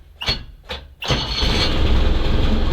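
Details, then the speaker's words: SMZ invalid carriage on its first start after long storage, restarted after being shut off: two short cranking bursts, then it catches at once and settles to a steady, even idle; healthy start, charging works. "Он вроде работает нормально зарядка есть ранник - это не проблема"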